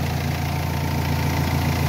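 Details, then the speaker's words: Renault Espace III 2.2L idling with the battery disconnected and the positive removed, alternator alone holding about 14 volts: smooth, steady idle with an even low beat and no stumbling. The engine keeps running, so the alternator is good. "Vous voyez, donc j'ai enlevé là le plus, c'est pareil, le moteur continue à tourner."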